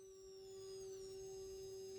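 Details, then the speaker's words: Transformer driven by an IRFZ44N MOSFET circuit while adjusting the potentiometer: faint steady mid-pitched hum with a thin high whine above it; normal, very quiet transformer vibration. "yeah it's a very very faint uh sound but it is there it is vibrating a tiny bit this Transformer is very good actually very good because it's uh very quiet"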